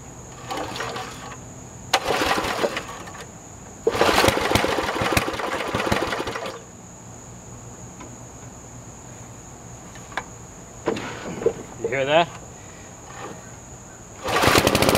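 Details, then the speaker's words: Scrapyard Snapper mower, small single-cylinder engine with empty tank run on fuel poured into the intake, throttle just above low, in neutral: uneven bursts catching and revving between pauses; it runs, so issues lie in fuel line and tank. "haha it's gonna run okay"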